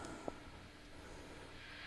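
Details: Mesa amp through effects loop, noise gate off, no playing: constant soft hiss that worsens as volume rises; pedalboard and cables verified clean on another amp, so noise traced to the Mesa, exact source unconfirmed.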